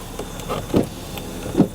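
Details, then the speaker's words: Car power window in operation: a short, smooth motor whirr ending in a soft thunk as the glass reaches its stop; the window motor works normally. "important window works though so that's good"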